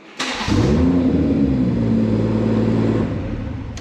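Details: BMW 114i with swapped M140i engine, keyless start by pressing brake after refuelling: starter spins briefly, catches at once, smooth even idle, no knocks; normal start; owner suspects faulty fuel sender misread quarter tank.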